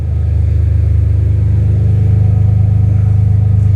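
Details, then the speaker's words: First start of a freshly swapped BMW M3 S54 engine, checking the self-done throttle wiring: a deep, steady rumble swells smoothly as the throttle opens and holds without stumbling; it works. Normal throttle response. "And just checking my wiring that I did on the throttle. Oh yeah, it works."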